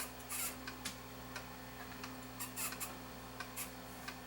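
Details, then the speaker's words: Sony EVO-9800 professional Hi-8 deck playing evaporated tape: irregular high squeaks and chirps over steady mechanical hum, tape squealing from stiction in the tape path, with many dropouts. "oh you can hear the tape squeaking hear it stiction"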